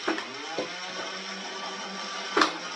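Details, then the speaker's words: Nerf Blaster Scooter firing motor tested on batteries after repair of a faulty access-panel button and connector: steady, even motor whine at constant pitch with light clicks at start and stop. Normal operation. "so Moment of Truth does it work we'll test it here now and yeah it works now"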